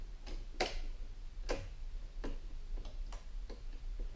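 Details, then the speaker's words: Toro Z4200 Timecutter mower that won't start: with the key switched to run, sharp uneven relay clicks come about twice a second with no cranking; the relay works. "Ben, switch à on. Le relais clique, ça c'est un bon signe."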